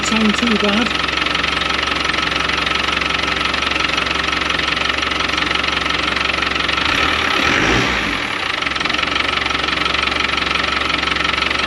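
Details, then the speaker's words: Land Rover Defender 110 diesel idling in neutral with clutch pedal in, shortly after start; quick steady metallic rattle about four per second; suspected clutch rattle, noisy cold and worse as it warms; clutch to be replaced. "It sucks a little bit when it's cold because that noisy. It does get worse, guys."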